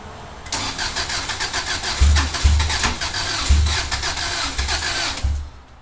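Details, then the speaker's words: EJ22T DOHC Subaru engine, first start attempt after installing RobTune EJ20G ECU and ignition converter; starter cranks in uneven bursts but never fires, no spark; MSD coil pack wiring was wrong, wire colors differ for 1991. "okay let's see hmm well it cranks it does not have spark"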